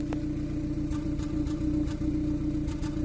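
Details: 2014 Kia Cerato, previously overheated, heard at the tailpipe with no codes and zero misfire counter: steady idle broken by irregular puffs every half second; misfire located on cylinder one.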